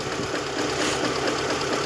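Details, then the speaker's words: VAZ 2112 16-valve engine, earlier ticking, loud knocks since yesterday; knock drops when a plug lead is pulled, so bearings possibly suspected: heavy, rapid metallic knocking over idle, steady and loud; engine knock, source unconfirmed. "Вчера появились странные звуки в моторе. До этого было цоканье. Вчера прям страшные стуки."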